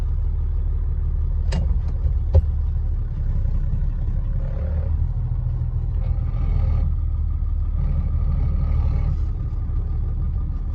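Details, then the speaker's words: W123 Mercedes with swapped OM648 diesel, in reverse after the clutch failed on the road; low rumble with faint steady whine and sharp clicks, noise on any throttle, abnormal clutch noise in reverse, needs teardown. "That was in reverse, yeah. Something's not right. It's gonna have to come apart."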